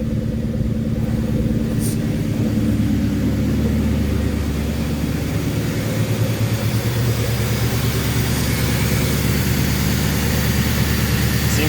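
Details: 1997 Mustang Cobra V8 on startup after MAF cleaning, new spark plugs, new air filter and oil change. Loud even without throttle; the deep exhaust burble settles into a steady idle with no stumble or miss. Normal idle.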